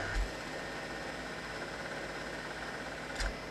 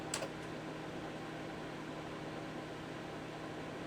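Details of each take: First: PDP-11/73 PLUS with newly added hard disk on SCSI controller: clicks at power-up, two sharp clicks about three seconds apart over steady fan hum; more clicking follows, cause unclear. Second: PDP-11/73 system with newly installed RZ55 SCSI hard disk, found in controller scan: steady fan hum, then a click and faint rising whine as platters spin up; normal drive spin-up.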